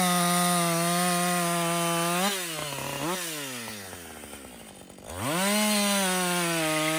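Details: Husqvarna 562XP chainsaw back from the shop after a software reflash for dying when hot and not starting; high steady full-throttle scream pulls down in the cut and recovers. It runs clean under load through its first full tank without stopping.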